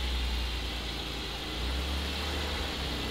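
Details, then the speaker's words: Salvage-rebuilt 2020 Porsche 718 Cayman GT4 after the loud cold-start phase ends: low, even, quiet idle with a soft steady exhaust note and no knocks or rattles; healthy. "this actually sounds like a porsche now it's just radley and quiet now it's quiet now it's really quiet"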